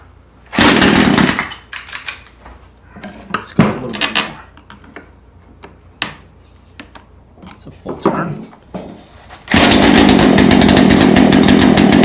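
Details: Craftsman two-stroke chainsaw, found in the garbage, after low-speed carburetor screw turned out about a half turn; after short pulls it catches and holds a steady high buzzing run.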